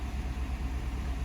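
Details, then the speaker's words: 2015 GMC Sierra 6.2 after repair of a broken valve spring (not lifter failure), fuel trims relearning, AC on: smooth even idle pulsing about eight times a second, idling down now, no ticking or tapping; healthy idle. "uh idling down starting to before it would not idle down hear it sounds nice and quiet no tipping no tapping none of that trash"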